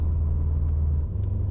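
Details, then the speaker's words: 2008-on Subaru STI (GR/VA) after stumble fix, in Sport Sharp accelerating through about 3000 rpm; deep, even drone under load pulling cleanly with no stutter, dropout or hesitation. "no hesitation at all can slow down can drive through it smoothly nothing it's perfect"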